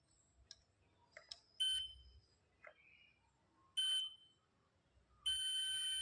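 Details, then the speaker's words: Multimeter continuity test on a 4440 amplifier IC board, probes across the IC's supply pins (pin 11 positive to negative); three high beeps between probe clicks show a short circuit, indicating a faulty board. "इस प्रकार देखिए यहां से भी यह short दिखा रहा है।"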